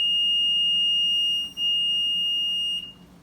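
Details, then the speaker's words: Maytag Neptune front-loader washer recovered from the trash: steady high-pitched beep for almost three seconds, brief dropout, then stops; beeps for no reason and often won't start, no stuck button found; control panel suspected bad. "art you can see it's just beeping for no reason so this control panel is probably bad"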